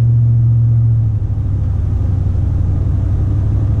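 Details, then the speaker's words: 2004 Silverado with 50-inch curved roof LED light bar after sealant fix, driving at 40 mph: only steady low road and engine rumble, no whistle; the previous light bar wind whistle is gone. "And as you can hear, absolutely nothing, which is awesome to hear because it was a horrible, horrible noise. So it seems like that fixed it."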